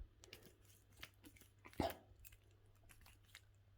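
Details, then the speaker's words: Worn, stiff barrel lock cylinder in a uPVC front door: irregular crunchy clicks and scrapes as the key is wiggled, binding and sticking so it won't turn; fixed by replacing the barrel. "if your key doesn't turn in it smoothly, you can hear the clicking. Look, now it's stuck. I can't turn it."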